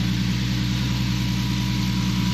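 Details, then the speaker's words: Infiniti G37 with VQ37 V6, idling after new knock sensors and sub harness: smooth, even low exhaust burble with a steady beat, no knocks or misses; owner says the exhaust is sounding good. Normal idle. "Yeah ant looking good exhaust is sounding good"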